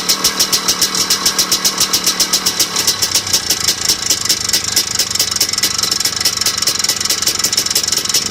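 Crisp regular knock about 140 a minute riding over a steady idle, following engine speed; a knock at idle of unknown cause.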